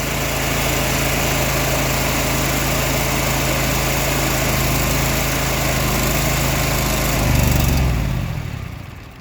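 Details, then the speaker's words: Exmark Lazer Z EFI zero-turn mower, previously no fuel pressure: runs steady about seven seconds, surges, then dies as rail fuel pressure drops; fuel starvation. "so it'll run for a little while and then die and I don't know enough about these EFI to know if there should be constant fuel pressure or not"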